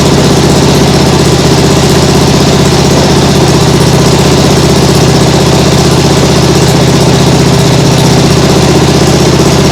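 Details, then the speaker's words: Nibbi G619 walk-behind tractor engine after carburettor cleaning to cure hunting; steady single-cylinder idle about three beats a second at lowest throttle, no surging, like a sewing machine. "yeah that sounds much better like a sewing machine that sounds great really great"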